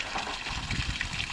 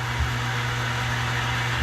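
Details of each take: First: Newly installed outside water pump, reprimed, feeding the main outlet first; water gushes unevenly with bubbling, spitting surges instead of a smooth flow, showing air still in the water line. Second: New outside water pump under boat house, outside tap opened: steady even motor hum with constant tone cutting off cleanly at about seven and a half seconds; normal cut-off at pressure.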